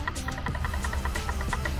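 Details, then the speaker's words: Honda S2000 differential rebuild with ATS carbon LSD: light metallic clicks, about eight a second, as the ring gear is rocked by hand; backlash sounds tight, estimated about 0.004 in, within normal range. "backlash sounds like now when you do these a lot you'll start to develop kind of a feel and sense for what that's supposed to sound like the tone changes as you get more and less backlash based on that noise"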